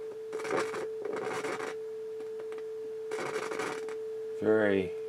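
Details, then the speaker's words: 1981 Realistic STA-2250 receiver, first power-up with speakers and a tone source: steady test tone broken by harsh crackling scratch as controls move, background hiss in phono stage; very scratchy, dirty controls. "very very scratchy very dirty controls phonal stage you can hear the hiss the background hiss but some signal bleeding through"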